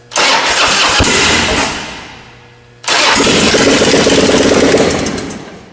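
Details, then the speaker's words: 1995 Harley-Davidson Wide Glide Evo 80 cubic inch V-twin after Total Seal gapless piston ring install, no exhaust fitted: very loud raw bark, crackles on blips, pops and flames on decel; better throttle response than before. "very loud without the exhaust does fire yeah we're going for that you can even see the little pumps of fire coming out of the exhaust"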